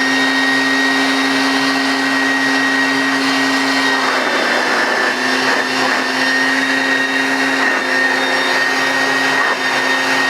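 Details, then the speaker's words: British-made Hoover Junior U1036 bagged upright vacuum, motor run with no belt or agitator attached: steady, even high-pitched roar with constant whine, no rattle or surging; good suction, motor sounds healthy. "I think that sounds okay so it's going to sound different when the belt's actually attached but it's got some it's got a good suction so I don't think there's much wrong with the motor"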